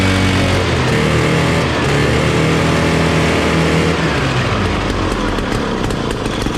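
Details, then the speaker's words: 1968 Ski-Doo Super Alpine 370 snowmobile, Rotax 370 two-stroke, after clearing packed-blocked muffler: loud even buzz holding steady then rising with revs, no popping or choking; running as it should. "So I guess our original diagnostic was correct after all. That sounds like it's working like it should."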